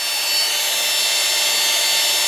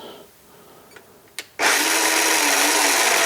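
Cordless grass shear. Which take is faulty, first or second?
second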